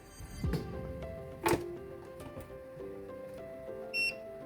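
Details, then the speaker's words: MioMat plant-based soy milk maker, plugged in: a single short high beep as the icons light up; normal power-on signal. "oh, it made that sound. The icons are lit."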